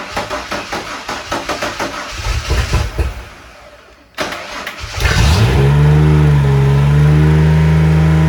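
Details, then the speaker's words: Ford F-150 former plow truck after a budget junkyard cylinder head swap: starter churns, engine catches and holds a high flat rev as if at full throttle; intake manifold not sealing, leaking vacuum, causing high idle. "well something's unhappy but it ran I don't know why it's like Full Throttle"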